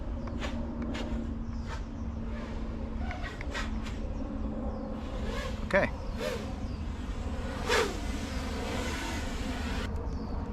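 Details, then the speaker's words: Sub-250 g 5-inch freestyle FPV quad (2Fiddy) during PID tuning with gains pushed to maximum: motors buzz and swoop through throttle punches with no odd rattles or oscillation; healthy motor sound. "let's see if there's any weird sounds pushing the games nope"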